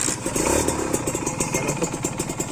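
Crisp, even popping beat from the two-stroke at idle, steady and dry with no knocks or rattles; engine sounds healthy.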